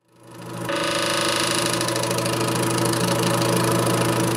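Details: Air King bathroom exhaust fan hums steadily with a fast, buzzing rattle of about four scrapes a second as the blower wheel rubs the housing; fixed by replacing the blower wheel and/or motor.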